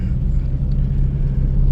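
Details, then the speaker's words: 2004 Toyota Tacoma four-cylinder, 141,000 miles, that had a dead miss on cylinder 1, after the fix, heat-soaked and restarted several times: a steady, even low hum with no stumbles or dropped beats. Normal running, no misfires. "so I went into town let it heat soak a few times you know shutting it off turning it on absolutely no misfires no dead"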